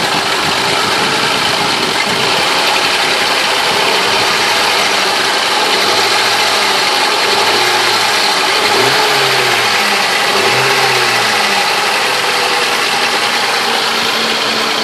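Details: 2000 Ford Crown Victoria Police Interceptor 4.6L V8 at idle: a harsh, gritty grinding rattle over the idle, loudest in the upper range, from the timing chain area; owner suspects worn timing chain tensioner arms and guides.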